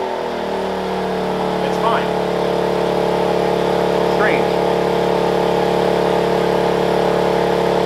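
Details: Wen 56203i 2000 W inverter generator (built 7/2020), eco mode off, loaded by a heat gun turned to maximum (it hunts badly at middle heat settings): an even, steady drone with no surging or hunting; running normally.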